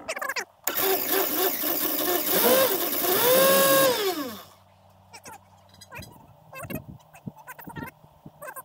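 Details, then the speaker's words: 1966 Mustang, cranked after refitting the carburettor top gasket, which had been installed wrong and left a big gap so the system wasn't sealed; starting fluid in use. The starter whirs about four seconds without firing; the owner says it is more or less flooding out. "all right let's give this a little go with some starting fluid i don't know if it's going to help much because it's more or less flooding out on us but it may help"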